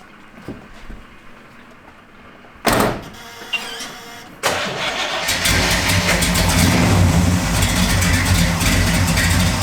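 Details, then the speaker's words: 1968 Camaro V8 with a carburetor and fuel pressure gauge, starting on E85 after 5 years off the road: a couple of short bursts, then a loud, lumpy but steady idle; the cam sounds bigger on E85, which is normal. "Sounds a little different, doesn't it? Yeah, it does. The camshaft sounds a little bigger in it on E85."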